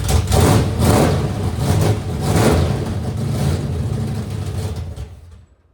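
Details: 1964 Impala drag car, first run in decades after cleaning points and setting them at 0.016 in and borescoping under the valve covers: big V8 catches and revs in rough surges about twice a second, deep rumble, then shuts off; fires and runs cleanly.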